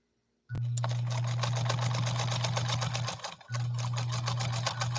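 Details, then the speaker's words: Restored 1957 Japanese Fleetwood 492-TW sewing machine stitching zigzag: even fast stitch patter about four per second over steady motor hum, brief pause; smooth running, slight bunching suggests presser foot pressure maybe a bit heavy. "listen to this machine run i shut the music off it's a very smooth running machine"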